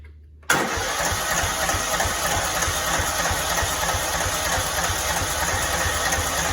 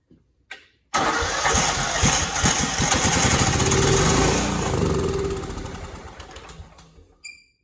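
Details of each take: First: Cub Cadet 2166, 16hp Kohler Command single-cylinder, after brake switch activator fix, primed with gas, low tank tipped: catches at once and settles to a steady, even putter with no misses or surging. Normal running. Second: Cub Cadet 2166 mower, 16hp Kohler Command single-cylinder engine, choke on: steady cranking about six seconds without catching, then winds down; no fuel reaching it, owner suspects it needs priming. Crank, no start, fuel starvation.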